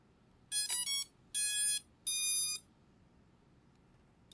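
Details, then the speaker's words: Overmax X-Bee Drone 9.5 Fold: three high bright electronic beeps about half a second each, warning the controller has not yet connected to the drone after startup. "ten pikający dźwięk sygnalizuje że kontroler nie podłączył się do drona"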